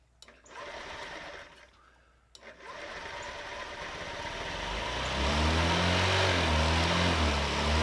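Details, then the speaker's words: 50cc Honda Metropolitan scooter, bought non-running: stumbles then revs only while blowing into carburetor diaphragm vacuum hose to lift needle for more fuel, won't idle alone; suspected faulty diaphragm assembly or clogged jet. "So I fiddle with this for quite a while, and I get it to run pretty well by blowing into the diaphragm, which raises that needle, which allows more fuel."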